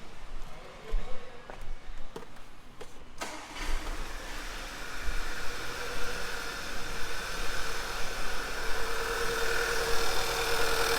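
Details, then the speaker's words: 2009 VW Tiguan 2.0 turbo, check engine light, power loss, PCV valve replaced the week before: engine cranks, catches, then idles with an uneven stumbling shake from a dead miss on cylinder 1. "So let me start the car so you guys can hear it. It has a dead miss now."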